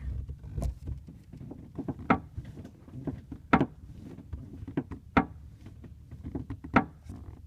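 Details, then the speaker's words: 2003 Mustang Mach 1 interior, recorded from the back left seat: irregular dull creaks and knocks when the rear right side trim panel is pressed; body or trim creak, cause not found. "if I push on this little side part I'm still getting the same sound it's still coming from right up there"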